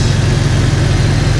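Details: Jeep Cherokee XJ idling after swapping in refurbished 4-hole injectors to replace cracked ones, no fuel leaks or smell; deep, steady, even rumble with no ticking or misses, idles nicer and quieter than before.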